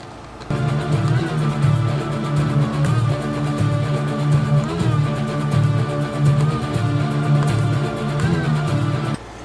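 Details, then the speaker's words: Denon DP-15F direct-drive turntable in 33 1/3 rpm mode: pitch sags and wavers every few seconds as the quartz lock light flashes, so speed won't hold. 45 rpm works fine. Suspected fault is the main circuit board or its warm large capacitors. "can hear it doesn't sound quite what right does it everything the light flashes in this you get erratic sound and speed so something's not keeping it at the correct 33 and 1/3 rpm"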